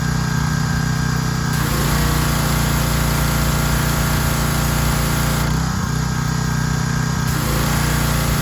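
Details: Troy-Bilt 2700 PSI pressure washer after pump head replacement and unloader adjustment (had been stalling): steady, even engine drone with constant pitch, no surging or stalling; running normally.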